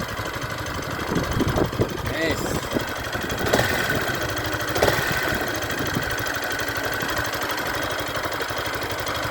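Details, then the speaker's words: New Yamaha Factor 150, idling and heard from an apartment doorway: uneven clatter with sharp ticks over the single-cylinder beat; owner says the noise came from the factory and plans to raise it at the 1000 km service, cause unclear. "eu vou deixar para para reclamar de novo agora só lá na na na revisão de 1000 mas esse barulho aqui barulho é feio"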